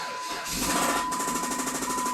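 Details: Jeep petrol engine just started: fast, steady knocking of about eleven hits a second, owner thinks coming from cylinder number 1; rod knock.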